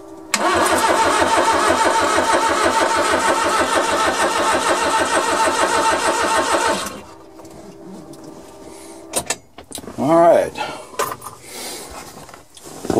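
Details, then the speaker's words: Suzuki Carry mini truck, first crank on a 275 CCA battery; fuel pump heard, distributor not yet installed. Fast, even cranking with no firing, clanks or stuck valves. Cranks but no start, no spark. "you don't hear hear any uh stuck valves or anything like that so i know there's not going to be a spark of course because i have not put the distributor on yet"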